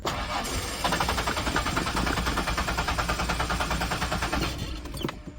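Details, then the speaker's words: Ford Explorer 5-speed 4x4, sat about three years with bad gas, cold start: starter cranks steadily about three turns a second but engine never catches; fuel pump seems to run continuously; not fuses, relays or inertia switch; not getting fuel on cold start, cause unknown. "It wasn't any relay or fuse related to the fuel system. It's not getting fuel for whatever reason on a cold start."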